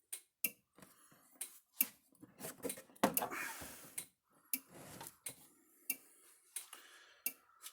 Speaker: clicking right along there like it's supposed to